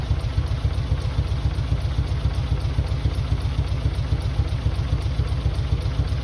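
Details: Mitsubishi 3000GT VR4, new engine's first start on old, long-sitting cleaned injectors. Deep, lumpy idle pulsing about 3–4 times a second with uneven beats. Owner suspects injectors, with one or two cylinders misfiring; rough idle.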